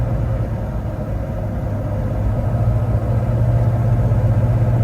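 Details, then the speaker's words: 2004 Hummer H1 6.5 turbo diesel test drive, light throttle, not yet at highway load: steady low drone building gently over road rumble, no hesitation, cut-outs or lost throttle. Normal running. "Well, I'm not giving it much gas, just driving normally, and everything seems good, no hesitation, nothing shutting off. I'm not losing throttle or anything like that."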